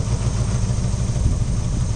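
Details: Mazda Miata idling: deep, uneven idle with lumpy, unsteady low rumble and no clean rhythm; rough running, suspected wiring, cause unconfirmed, teardown considered.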